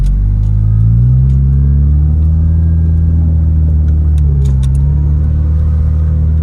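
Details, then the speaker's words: Toyota MR2 SW20 Turbo on a baseline test drive before build work: deep steady rumble with faint metallic clunky sound from the engine bay when in gear; suspected loose muffler, not confirmed. "there's like a rum like a a metally sound when you're in gear from the engine bay like a clunky"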